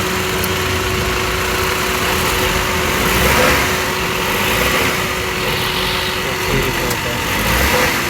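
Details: Maruti Wagon R after replacing a cracked, years-old drive belt that had caused chirping: steady, even idle with a smooth constant hum and no belt chirp or squeal; engine runs clean.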